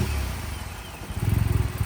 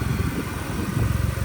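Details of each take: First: Vauxhall Corsa VXR after roadside engine swap for blown head gasket, exhaust refitted, no coolant, brief run: engine catches and surges unevenly, lumpy pulsing rough running just after start before settling to idle. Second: Vauxhall Corsa VXR replacement engine after blown head gasket, exhaust refitted, no coolant, run only seconds: short steady low idle with even pulse, no knocks or rattles; solid-sounding engine.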